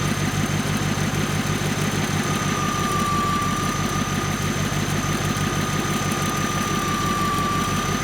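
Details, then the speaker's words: 2001 Audi S8 D2 4.2 V8 idling on a lift after a couple of minutes' warm-up: idle surging with a steady high whine at one pitch, owner suspects the alternator; possibly more valvetrain noise from the passenger bank. "Okay, so it's been running for a couple of minutes, and early observations, you probably heard the surging, and it sounds like we've got a bit of a whine coming from the alternator."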